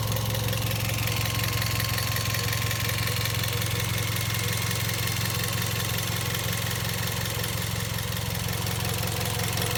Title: Vios Gen 2 - Loud Chirping sound coming from the engine bay